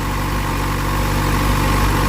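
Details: Motorcycle idling after unit replacement; corroded connectors likely caused resistance that overworked and burned out the old unit, melting the connector. New unit's wires not getting hot. Steady, even low idle, no knocks or misses; healthy.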